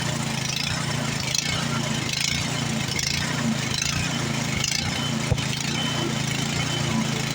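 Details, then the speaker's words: Like-new Craftsman snowblower just started after no-start repair, cold, partly choked: the small engine runs rough, speed rising and falling about once a second. Choke being taken off as it warms. Engine surging. "I got the choke set a little bit cuz it was surging I'm going to take the choke back off now that it's warming up a little here starting to Serge a little bit"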